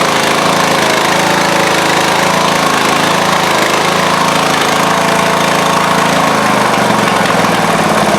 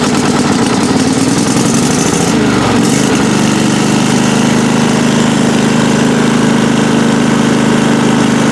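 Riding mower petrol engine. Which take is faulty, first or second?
first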